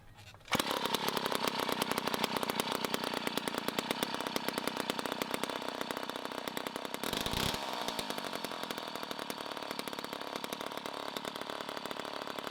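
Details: 1960s Homelite two-stroke chainsaw in revival, started on choke the next morning: a loud raspy, fast steady run, slightly burbly and uneven, running a little rich and possibly getting low on fuel.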